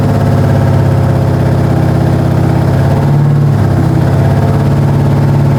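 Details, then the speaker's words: Ford 460 big-block V8 after a camshaft install, held around 2,000 rpm with the timing reset one tooth: a steady, even, deep drone with no knocks or misfires. The engine runs healthy, with a slight valve cover oil leak noted. "2000 sounds amazing the mouth cover is leaking a little on that side I ain't worried about it"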